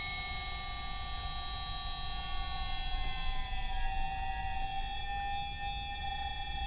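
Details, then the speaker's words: Standard 50 Hz induction motor on a variable-speed drive at 200 V, pushed far above rated frequency into field weakening: torque runs out, the motor desynchronizes and stalls while the drive keeps a steady high whine. "So there's actually not enough torque available to go any faster when you do that. So what happens is you just stall the motor."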